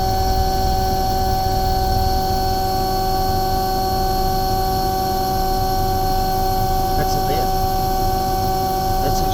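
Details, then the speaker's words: Omni/EconoHeat/Morrheat waste oil heater burner after cleaning burner and nozzle, setting about 12.5: steady even roar, constant low hum, no sputter or pulsing; running smoothly, startup smoke clearing. "really good it's actually running beautiful there it's just oh about 12 and 1/2 that smoke is clearing now"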